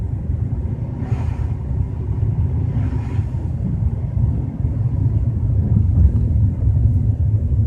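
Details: BMW 320i at 30–40 km/h: low uneven rumble under road noise, swelling slightly as the car gathers pace; source not pinned down.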